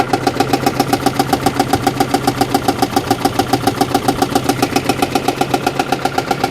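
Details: Car for a single mom, oil three quarts low and topped up, brake lights stuck on from a short: rough idle with a sharp knock-like pulse about four times a second; cause unclear, later a blown head gasket is suspected from the coolant smell.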